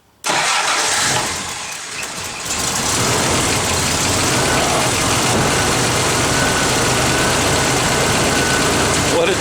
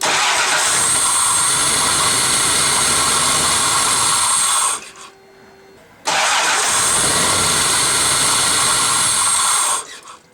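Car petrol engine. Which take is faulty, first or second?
second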